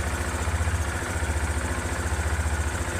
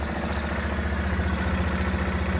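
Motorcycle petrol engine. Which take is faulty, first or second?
second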